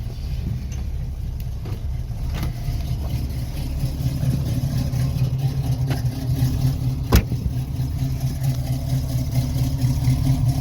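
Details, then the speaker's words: 1968 Chevrolet Camaro V8 with stainless dual separate exhaust, started and idling: deep, steady rumble with a gentle lope, nothing knocking or ticking; normal idle. "mais j'adore le son au ralenti, il est vraiment top."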